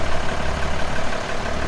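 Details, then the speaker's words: Old diesel dump truck, full load, after a fitting was sealed with Teflon tape: steady, even low rumble with regular idle beat, no misses or knocks; normal idle, pulling fuel from the tank. "And it'd have ran out of the diesel in those cans by now if it wasn't pulling something from the tank."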